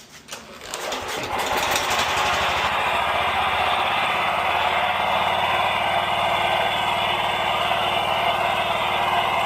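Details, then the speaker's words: Scag 36-inch commercial walk-behind mower, four-stroke gas engine (low 60–70 psi compression), after oil change and maintenance: it starts and settles to an even drone with no ticking or knocking; the earlier lifter knock is gone. "no more ticking noise. Yeah. It's good. No more noises. And it runs really smooth."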